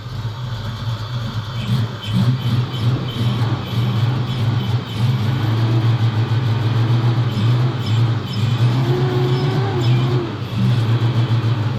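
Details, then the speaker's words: Foxbody Mustang V8 with a cam, first start after sitting 10 years, started with brake cleaner. Low, lumpy idle with an uneven pulse and wavering drone: misfire, not firing on all cylinders. "Ooh. We got it to run. It's not firing in all cylinders."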